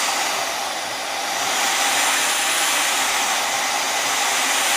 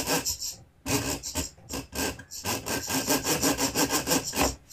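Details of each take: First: Vevor model 5120 plunge router, 3¼ hp, speed adjustable, first power-on before test cuts: soft startup spinning up to a clean, steady high whine running free, then coasting down smoothly; normal healthy motor run. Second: Vevor 5120 plunge router, 3¼ hp, plunge lever released: dry rasping scrape pulsing about three times a second as the plunge moves; owner suspects something rubbing on the screw threads, router otherwise functions okay.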